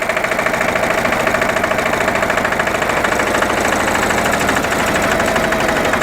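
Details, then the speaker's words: Dennis Premier diesel mower after gearbox rebuild with the original output gear refitted, cutter engaged on level ground: steady diesel clatter with no loud gearbox howl, sounding smooth and much quieter than before. "that's certainly a lot quieter and now we'll try the drive"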